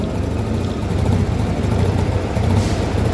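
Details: Yamaha Mio carbureted scooter acting as if out of fuel, engine only holding with choke pulled: rough, uneven low rumble sagging and struggling to hold revs without choke, bogging; traced to a tiny component inside the carburetor.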